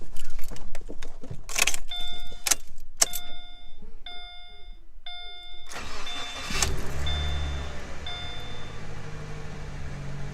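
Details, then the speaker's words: Subaru Impreza started during an idle relearn after battery reconnection: chimes and clicks, short crank, then a steady, even, slightly fast cold-start idle with no misses, expected to drop once warm. "and it's going to be on cold start for a couple minutes and it's going to be at about 1500 RPMs anyway way until it warms and then it'll drop"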